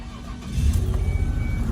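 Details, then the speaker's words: Ford Escape 3.0 V6 first start after repairing a stripped, blown-out spark plug hole by re-threading: short crank, quick catch into an even low idle with no stumble; no misfire felt and no plug blowing out. "right, sounds good. Sounds good, sounds real good. Put our hand on the engine, and it doesn't feel like it's misfiring."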